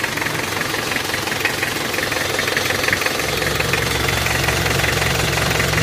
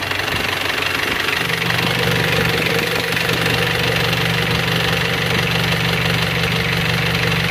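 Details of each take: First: Panther 23 diesel from Malang, before engine removal: harsh, rattly idle with a swelling chuffing undertone, exhaust smoking and smoke under the engine. Heavy blow-by; mechanic suspects a scored cylinder liner. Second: Panther 23 diesel from Malang, just started after rebuild with one scored liner replaced by a used original, plus a full set of pistons and rings. It catches after a second into a steady, even idle with light clatter, no smoke. Normal diesel idle.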